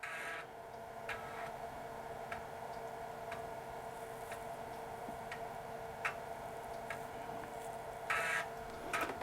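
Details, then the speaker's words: Dell 486P/20 (486SX 20MHz) floppy drive reading a disk: sparse, evenly spaced clicks about once a second; access sounds roughly half normal speed, not an energetic drive, possibly just this particular unit; cause unconfirmed. "the dis access sounds slow sounds like about half the speed normal it's not a very energetic drive maybe just this particular"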